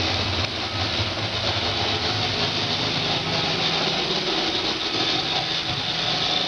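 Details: Roomba 560 robot vacuum on hardwood floor: loud, harsh, constant clattering hiss with no clear beat over the motor whir, a rattle of unconfirmed cause; quiet on carpet, earlier Roomba Discovery quieter on the same floor; owner later fixed it.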